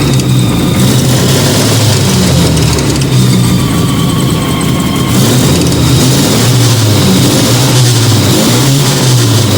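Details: Fiat 125 twin-cam on CNG with new gas injector at the carburettor and original air filter, just started; steady even engine note with a light throttle blip returning cleanly, no misses or stumbles, runs very well.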